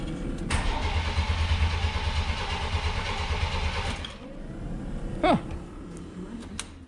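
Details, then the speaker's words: 1993 Chevy Cheyenne OBS pickup after tune-up with mismatched, corroded wiring: starter cranks evenly about three seconds with no firing. Crank no start. "doesn't run now that's neat really bizarre that's not starting"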